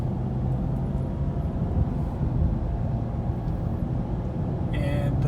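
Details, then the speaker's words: 2011 Ford Escape at about 184k miles, driving, heard from cabin: steady low tire rumble on pavement through poorly insulated cabin, no rising hum or rhythmic growl; first suspected wheel bearing but ruled out, just tire road noise. "there's really no noise insulation on this one, so I could hear the road noise, especially the tire noise for this one. I was even first suspecting that it might be a wheel bearing going out, but actually it's not."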